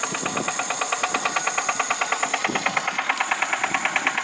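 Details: VAZ 2108 engine; sharp, even metallic tapping about six or seven times a second over a quiet engine, a clear internal engine knock of unknown cause.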